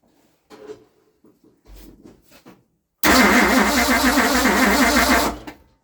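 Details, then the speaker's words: 1960 Ford Starliner with 360 FE Tri-Power engine: starter spins it at an even rhythm for just over two seconds with no firing. This follows a suspected no-spark condition, and the owner suspects the gap is too big. Cranks, no start. "let me crank a little bit longer well just to make sure doing it all the way all right I I couldn't tell it's twoo big a gap we have on and on and on and on it wouldn't just run by itself to keep on putting the fuel in by myself"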